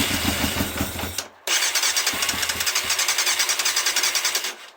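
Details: Yamaha Thundercat first start attempt after carb overhaul with new float needles and seats, fuel pump disabled and ignition coil connection in doubt: starter cranks steadily about three and a half turns per second, even compression pulses, engine never fires.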